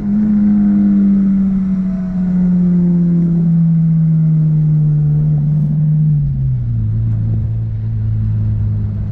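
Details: Honda S2000 after oil-soaked spark plug wells fixed with new gaskets, cured high-rpm misfire: engine note sweeps smoothly down from high revs, clean and even, no stumble, popping or miss; normal revving.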